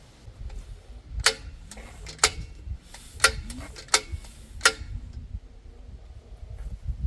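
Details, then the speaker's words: Half-VW engine build on a test rig, spark plugs removed, turned over by hand to prime oil pressure: sharp crisp snaps about one a second at irregular intervals; magneto producing normal spark. "okay we are definitely getting spark"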